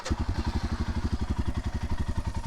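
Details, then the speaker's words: Royal Enfield Himalayan single idling after many miles and the trip to the Sturgis rally; steady, even thumping of about ten beats a second with no knocks or misses, running perfectly: normal idle. "Let's fire these up. so you guys can hear what the engine sounds like after so many miles."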